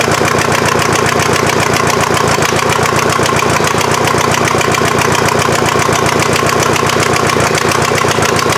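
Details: VW diesel in an offroad Mazda just after first start: loud fast clatter around 220 beats a minute, a bit uneven; runs but injection pump still needs tweaking, head gasket suspected from smoke.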